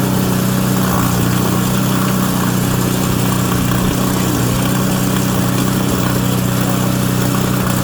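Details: Auction-bought Craftsman Series 2 snowblower after checking the points and wiring continuity: steady, low drumming putter at an even pace without stumbling. The small engine idles smoothly.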